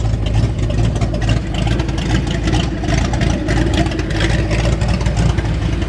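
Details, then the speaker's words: 1989 Ford Mustang GT V8, first start after sitting over 10 years, needing a complete fuel system: deep steady burble with even rumble, no knocks or misses, good oil pressure; idling properly. "There we go. Oil pressure looks pretty good. Idle looks good."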